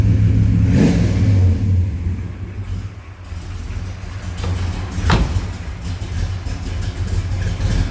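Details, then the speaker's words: 1970 Chevrolet Chevelle with a 383 stroker V8 and headers, plumbed for fuel injection, warming up. Deep, lumpy, loping idle rumble with no knocks or ticks. Normal V8 idle. "Remember, 383 stroker, nice little candy sounding engine there."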